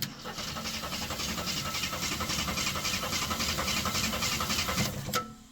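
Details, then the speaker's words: 1973 AMC Gremlin with points ignition, sat 30 years in a barn, cranked via Ford starter solenoid with a test plug grounded: steady cranking at about three and a half compressions a second, no firing; no spark, coil voltage to be checked. "And we aren't getting any spark. So let's get the multimeter out and see with our key on if we even have any voltage to the coil."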